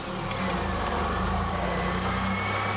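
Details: Engine running with a mechanical gauge fitted in place of the oil pressure sending unit above the filter: fires and runs with a smooth steady beat, no knock or tick; about 75 psi, so oil pressure is good.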